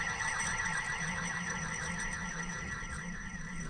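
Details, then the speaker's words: 2000 Ford F350 7.3 Powerstroke, top idler pulley that squeaked, turned by hand: sandy gritty rasp with faint tick about four times a second, should be silent; worn bearing, replaced with new Motorcraft pulley. "It should be silent. You can hear how that's all sounds like sandy in there."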